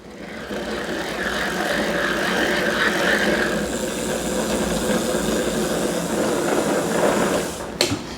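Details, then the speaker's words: Bosch BDU2 e-bike motor, guessed around 2019, heard before fitting the Bosch refresh kit: a rough gravelly whir as the cranks spin the motor. About 95% of the noise comes from the worn drive-side motor bearing; nothing else is wrong with the motor. "so most of that noise 95 of that noise is actually from the motor and it's from the uh the drive side bearing which is this side because they're the bearings that seem to go the most particularly on bdu-2s"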